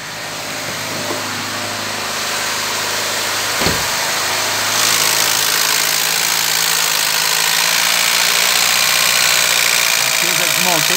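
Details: Chevrolet Vectra stuck at a high idle that surges and sags in a slow uneven swing; owner suspects an electrical wiring-harness fault near the throttle position sensor, not yet confirmed.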